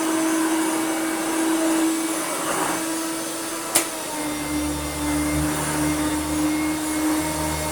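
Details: Hoover Turbomaster Electronic vacuum after new belts and belt-shifter repair; steady motor whine, a click, then deeper brush hum joins smoothly as it switches mode; reliable operation, normal running.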